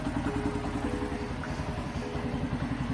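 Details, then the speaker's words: Pulsar NS 125 motorcycle at 9,300 km, just after its third service. A light, fast ticking of about three or four a second rides over the idling exhaust beat, heard as engine tappet noise that has already started. "और 9300 kilometre में इसकी third service complete हो चुकी है और अभी से ही इसमें इंजन की टैपट की आवाज़ आने लगी है।"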